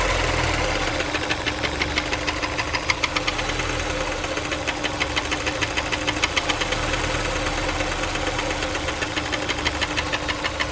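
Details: Honda S2000 at idle, used car considered for purchase; steady, sharp ticking knock repeating several times a second over the engine hum; internal engine knock, cause unknown.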